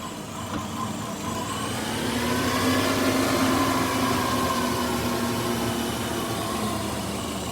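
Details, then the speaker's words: 2005 Subaru Outback XT during an idle relearn, still running poorly after much work: uneven idle with irregular pops and a wavering note, as if from a huge intake manifold vacuum leak; an intercooler-to-throttle-body hose leak was already found. "i'm doing an idle relearn procedure and this thing's making popping sounds and everything like there's the biggest vacuum leak in the world on the intake manifold"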